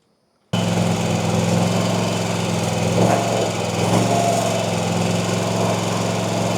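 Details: RedMax CZT54X zero-turn mower after repairs, still smoking slightly, suspected oil burning off: fires up and settles into a steady even buzz, no misses or knocks; running smoothly.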